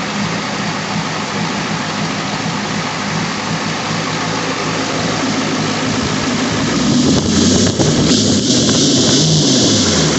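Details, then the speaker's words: International 6.9L IDI diesel on an engine run stand, started after glow plugs, weak battery, fuel fed from a temporary source with old fuel left in filter: uneven lumpy idle clatter; owner suspects a fuel issue. "so this engine doesn't run perfectly it may just be a fuel issue"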